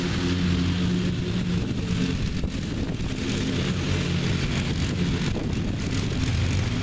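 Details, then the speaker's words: Revived neglected riding mower with new belt fitted, mowing the backyard: steady low drone holding even speed while cutting, no misses, knocks or surging; running good and mowing evenly. "I reckon if I get a year out of this thing then that'll be worth it but it seems to be running good and mowing good it mows evenly"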